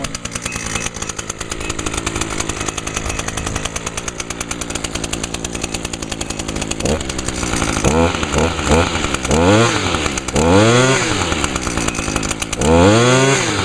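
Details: Echo two-stroke unit left sitting all winter with ethanol-free VP small engine fuel in it, no winterizing and cylinder not fogged, started with primer; only a little smoke. Crisp buzz idles evenly, then revs up and drops back cleanly several times: normal running.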